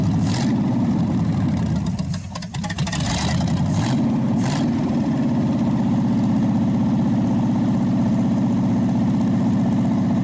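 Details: Packard 374 cu in V8 idling on a warm-up restart, exhaust manifold getting hot burning off oil after carburetor cleaning: deep even exhaust pulse, no skips or knocks, nearly quit smoking. Normal idle.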